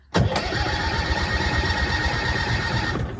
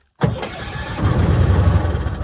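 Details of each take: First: 1966 M274A2 military mule, cranked with its mechanical starter lever before starting fluid was added: strong, even cranking for about three seconds at a steady rate without firing. Healthy cranking; it later fired on starting fluid. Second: 1966 M274A2 military mule cranked with its mechanical lever and fed a little starting fluid: cranks healthily, then catches and runs unevenly for a couple of seconds. Spark and ignition work; fuel delivery is next to check.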